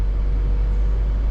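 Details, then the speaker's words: 2013 Toyota Prius after replacing its failed 10-year-old 12-volt battery: ready light on, placed in gear, petrol engine heard starting; smooth, even low hum with no knocks, misses or surging, running normally. "Now I've got the ready light. Everything's good. Let's just go ahead and, for the heck of it, we'll just put it into ag gear. I did hear the motor start. That's good."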